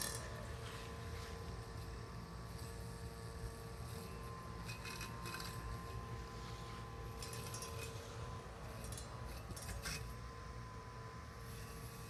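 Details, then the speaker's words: Husqvarna AutoMower 450X on its first mow of over-long grass, near the end of the job: a low, steady hum with a faint even whine and no labouring, as the blade spins freely at light load. "and you can hear how the blade isn't working that hard anymore so you can pick up on that sound"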